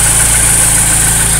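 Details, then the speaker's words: Porsche 944 freshly rebuilt engine, second part of first start, on non-detergent SAE30 break-in oil, warming up with temperature still climbing: smooth even idle, no ticking; earlier knock quieted after about 3 minutes, likely the last lifter priming up. "It's only been about 3 minutes since the last video stopped, and it has definitely quieted down a lot more. Like, I can't even hear it anymore, actually. So it's probably just the last lifter priming up."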